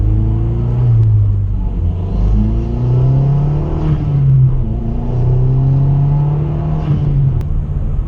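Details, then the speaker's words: 2008 Mazdaspeed 3 after about a year of driving: a deep engine note climbs smoothly through the revs under hard throttle with no knock or rattle. Normal, healthy acceleration. "if you just step on the gas it'll just pull it's amazing sounds sounds really"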